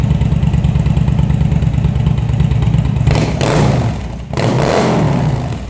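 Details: Engine just after rebuild of CV carbs (vacuum slides), on a remote fuel bag with airbox off. Lumpy, irregular exhaust beat with blips and dips in revs; runs rough and needs carb tuning.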